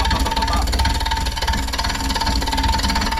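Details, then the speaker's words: Wood lathe turning an out-of-round bowl blank with a possibly dull gouge: steady motor hum with rough, irregular ticking as the tool hits the high spot each turn, which should smooth out once level. "But as you start getting that unlevel spot down, you can hear it ticking, hitting like"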